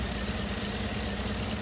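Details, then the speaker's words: 2015 Chevrolet Camaro with P0206 and P0300, at idle: uneven, stumbling beat with a recurring dip, one dead cylinder; misfire traced to a faulty cylinder 6 fuel injector. "Aquí vamos a encender el motor para que se vea la inestabilidad en ralent Dale mira mira Miren la manilla ahí está la inestabilidad en Ren efectivamente hay un cilindro"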